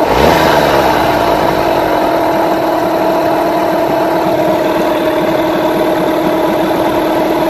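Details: Rebuilt Yamaha 9.9/15hp outboard after carburettor mixture tuning drops from a brief rev straight into an even, settled idle with no hunting or dipping; running right.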